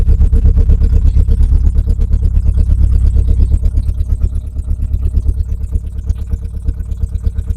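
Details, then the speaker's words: Renault Clio Mk1 1.8 16v, off the road since 2017 with old fuel, first start: a loud, raw, blatty idle with sharp pulses. It is loud because no exhaust system is fitted. "She's idling quite nice. Unfortunately, it's a bit loud because there's no exhaust system on it."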